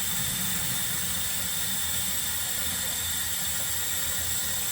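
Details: Sink pop-up drain after repair, during a leak test with the basin filled all the way: steady, even rush of water with a soft hiss and no gurgling or sputter; no leak, and the drain clears freely.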